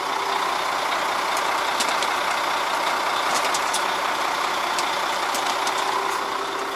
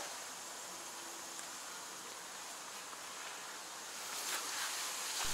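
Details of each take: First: New KamAZ 5490 NEO 2 truck with manual gearbox, cold start at idle (coolant 40°C, oil pressure 3–5 bar): even steady diesel hum with light ticking, no whine or groan from the power steering pump; sounds normal. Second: KamAZ 5490 Neo 2 truck, engine running: a steady, sharp, non-pulsing hiss of compressed air escaping somewhere in the air system; an air leak whose circuit is to be traced after switching on the ignition.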